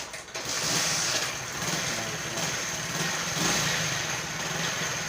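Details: Honda CD70 motorcycle engine idling: busy, rattly top-end clatter over the exhaust near the cylinder head, owner says the noise is excessive; cause not yet confirmed.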